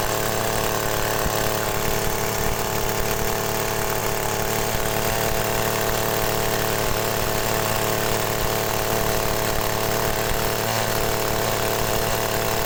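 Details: Agricultural sprayer small engine with hard cold starting, after fitting a new spark plug: holds a busy, even buzz throughout with no stumbling or dying; running normally.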